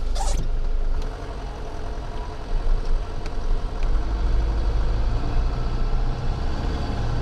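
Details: Right front hub of a Nissan Pathfinder heard through a microphone on the hub while driving in frost: constant low droning rumble ("jur jur") under road noise without engine rhythm, a worn hub bearing humming. Several shops had blamed gearbox, differential or driveshaft.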